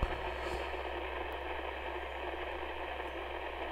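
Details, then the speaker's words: HAM International Multimode II CB radio receiving, after freezer spray on C11 made little difference: constant hissing static, low hum and odd crackles instead of clean reception; unstable VCO, C11 capacitor suspected. "doesn't seem to have made much of a difference so as you can hear it's still not very happy at all"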